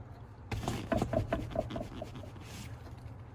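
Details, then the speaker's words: Jeep TJ passenger tumble seat after installing 3D-printed bushing parts (sanded to fit) replacing missing factory bushings: soft irregular clicks and rubs as seat rocks, no sharp metal-on-metal clack; rattle reduced. "yep the seat still wiggles and you still hear that noise but it is not making that metal on metal contact like it was before"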